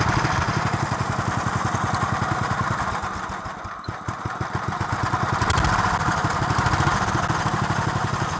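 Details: 1963 Bolens Husky 600 lawn tractor single-cylinder on 10-year-old fuel, off choke: races high and uneven with fast beat and surging, no governor control; throttle linkage unhooked.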